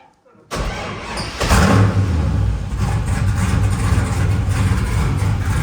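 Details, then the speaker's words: LS-swapped Nissan S14 with a custom straight-pipe exhaust, first start: the engine catches and settles into a lumpy, loud, uneven idle and smokes. Running too rich from too much fuel; the tune needs adjusting. "huh sound like a m it runs so [Music] rich kill it turn it off sh smoked it up that's when we need to go see turbo mic yeah so he can adjust the tune cuz it runs too rich right now too much fuel"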